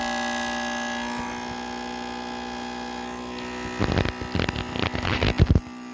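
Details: Acer Predator Orion 3000 desktop PC giving a loud, steady electrical buzz, with a few handling knocks near the end.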